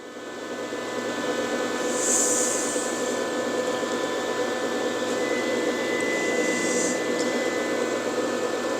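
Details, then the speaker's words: MIG welder on 220 V whose cooling fan reportedly bogs down during welding, run before a welding test: a steady airy whoosh with an even hum and no slowing or rubbing; the fan spins up to full speed and runs healthy. Owner suspects a fan supply issue. "I am wondering if it doesn't make a lot of sense, because that thing is flying."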